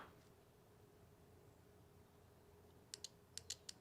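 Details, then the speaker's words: 1989 Honda Prelude air conditioning fan and compressor relays bench-tested with 12 V applied to the switch side: a few crisp, dry clicks each time power is applied; the relays are switching cleanly and good. Healthy relay click. "this one also clicks so the relays are good"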